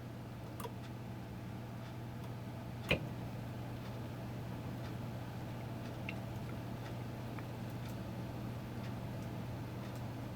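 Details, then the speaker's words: Sony TC-252D reel-to-reel deck, universal voltage, set to 117 V, first power-up smoke test with no tape loaded, play lever pushed; low steady hum with faint ticks, no rubbing or grinding; motor running normally (deck reported to run too fast). "so if I push up on this lever go stir up the smoke test take two sounds like the motors running"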